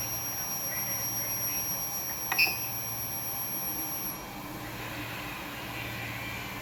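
A thin, steady high-pitched electrical whine sits above a low hum and fades partway through; this is power supply coil whine.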